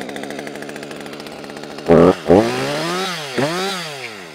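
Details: Husqvarna high-compression chainsaw started using the compression release, choke off to run position after the first hit: rapid rope-pull chuffs, then it fires, catches and revs up and down cleanly several times; healthy start and running.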